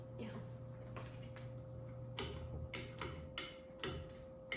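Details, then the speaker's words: Murray Feiss FPV ceiling fan, unrestored, on high speed and wobbly: light ticks about every half second over motor hum, with rotation; clicking from a broken blade, partly fixed but worse before, always on medium. "Here's high speed. Wobbly, tell me about it. There's that clicking noise I was talking about. But it would do it all the time when I was on medium, so."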